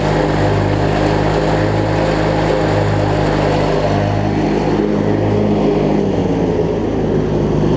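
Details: Craftsman LT1000 rider, opposed-twin engine, blades engaged and deck strapped for viewing: steady, even drone with no knocks, slapping or belt squeal. It runs healthy, though the deck belt is shedding shards.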